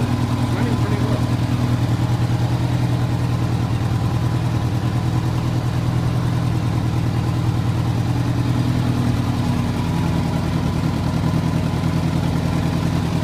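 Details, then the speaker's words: 1985 Honda Gold Wing GL1200 Aspencade, after wreck, started after sitting seven years with freshly rebuilt carbs and idle adjusted: steady, even flat-four idle, smooth low thrum, no knocks or misses; running well. "but a little bit of adjustment on the idle and the bike is running pretty well"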